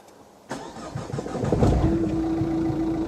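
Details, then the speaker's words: Renault Grand Scenic III diesel, cold start after sitting all day: uneven thumps then rough idle with a clunk and fore-aft engine shudder felt in cabin; suspected engine mountings or clutch, not fully resolved after two new mounts. "i could certainly feel that clunk it's almost as if the engine wasn't hitting the chassis as it moves uh but it was it vibrated too much as if the engine was going forwards and backwards not side to side forwards and backwards like that"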